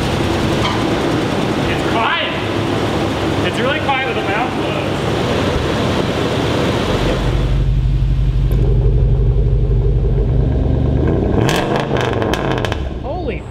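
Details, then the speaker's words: Toyota Sequoia tow rig with 2UZ V8 on a new fabricated exhaust with catalytic converters removed, after about 10 minutes idling; deep, steady idle with a loud, raspy burble from the tailpipe. "exhaust sounds sounds loud sounds raspy but i think it'll be perfect maybe we'll see ah it kind of sounds like one of the leaned out trucks just like needs cats honestly"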